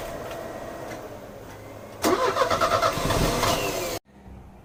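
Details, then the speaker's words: Euro-spec Mercedes 190E 2.0, 5-speed manual, fuel just added: starter cranks, engine catches with an uneven rough beat for a couple of seconds, then cuts out abruptly; hard starting from gunky contaminated fuel found in the lines. "actually got it to start for about 30 seconds and it stalled I tooked all the fuel lines off to make sure we had pressure"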